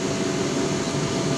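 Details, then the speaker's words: Rewound 2 HP water pump motor, 24-slot two-pole, 23-gauge running and 24-gauge starting windings in parallel connection, refitted, running under load drawing 4 A at 220 V (rated 8 A); steady even hum with smooth flow whoosh, no knocks: normal running. "ये 4 एम्पेयर हमारी motor load ले रही है, 220 वोल्ट।"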